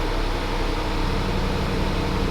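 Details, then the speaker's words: 2021 Range Rover SVR V8, crash-damaged salvage car, after battery charger fitted for low-voltage faults: steady low even idle rumble, slightly rocky feel, no stumbles; engine light gone, idling normally after previously sounding terrible. "engine Lock's gone now seems to be running okay have we just got like welll looky and just put a charger on it's fine how did it go from sounding terrible like it sounds it feels a bit Rocky but it's a V8 is it yeah massive one"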